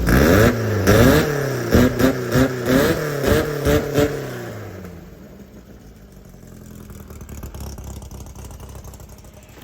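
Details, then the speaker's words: VW Baja engine with Weber-style carbs replacing the Kadrons, on a 115 main jet: about a dozen throttle blips of roughly one a second that rise and fall without snap, then a lazy idle; it feels flat, and the owner plans to try a 125 main. "I'm gonna try to put a bigger main. It's got a 115. I'm gonna put a 125. See if a 125 will make it wake up again."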